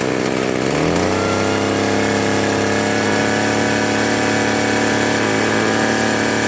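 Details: Free two-stroke leaf blower (Troy Bilt/Homelite) that only started on low choke: the buzz climbs in the first second, then holds a steady pitch and won't rev out or hold full throttle unless choke is mid.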